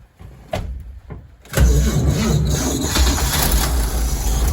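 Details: 1965 Chevrolet van left parked in the weather: slow uneven cranking churns for about a second, then catches and settles into a loud, rough but steady run; it starts.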